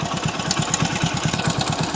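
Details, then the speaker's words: Motorcycle at idle: a quick, steady "kada-kada" tapping clatter that the rider locates at the cylinder head. The cause is unknown to the rider. "So மக்களே உங்களுக்கு sound கேக்கும்னு நினைக்கிறேன். ஒரு மாதிரியே கட கட கட கடன்னு கேக்குது கரெக்டா எங்கன்னு பாத்தீங்கன்னா ஹெட்ல தான் கேக்குது."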